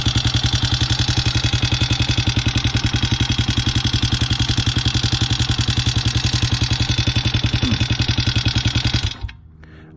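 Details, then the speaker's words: 2020 Hawk 250 single, first start after assembly with fresh oil: steady idle about 214 thumps per minute with busy ticking clatter; owner unsure if normal or valves adjusted wrong, will pull cover and check. "it's supposed to sound that loud or if I've adjusted these valves wrong."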